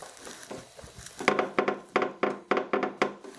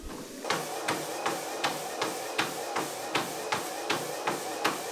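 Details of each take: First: Horizon 7.0AT treadmill after tightening loose platform bolts: short squeaky bursts three or four a second as a rubber plug part moves and rubs; that plug is the squeak source. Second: Horizon 7.0AT treadmill running at 6 mph: even footfalls about 80 a minute over faint steady motor hum, no grinding, slapping or squeal; running normally.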